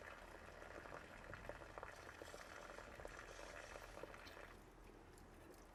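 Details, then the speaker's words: 2003 Ford Taurus with no heat, heater core flushed with CLR: a steady gushing pour with bubbling, no sputter or choking; full flow through the heater core. "See, it looks like I get a full stream of."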